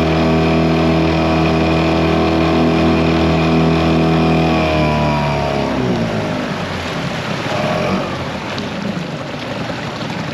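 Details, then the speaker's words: 2001 Yamaha 5 hp two-stroke outboard, repaired after a no-reverse shifting fault following an impeller job, on test pushing a 14 ft boat with two aboard at about 4–5 mph: steady even drone over water wash, running clean; normal running under load. "But yeah, guys, the motor is running pretty good right now."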